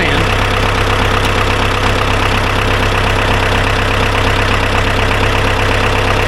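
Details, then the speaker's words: Ford 2120 diesel tractor that sat for years, after cutting rusted-tight throttle cables and setting lowest throttle: steady low clatter about three beats a second, no misses or knocks; healthy idle. "Honestly, she sounds pretty good. Well, that's cool. I am thrilled that it starts."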